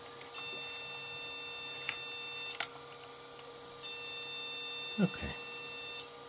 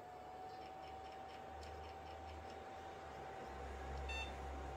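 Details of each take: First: Mini Pentium PC from an old jukebox, with the hard drive and then the floppy drive disconnected. At power-on, two long high-pitched beeps of about two seconds each sound over faint fan hum, a memory fault code. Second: Second jukebox mini Pentium PC at power-on: one short high beep over quiet fan hum, so it passes POST, with slight clicking from the hard drive. It goes on to boot Windows XP.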